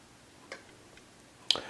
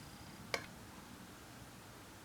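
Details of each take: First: TimeUSB lithium battery on its charger, app at 100% and 13.8 V, BMS in overcharge protection. Sharp, isolated ticks about every half second come from the charger switching modes to hold the full battery. This is normal maintenance-mode ticking. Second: TimeUSB battery charger, with the battery thought to be nearly charged: sharp, isolated ticks every two to four seconds in a quiet room. The sound comes from the charger rather than the battery, and its cause is unknown.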